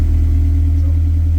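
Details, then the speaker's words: K24-swapped 1987 AE86 idling while warming up, best it has run; deep, smooth, even rumble with no knocks or misses. Normal warm-up idle. "it's getting her warmed up a little bit now we'll probably roll it out go for a drive"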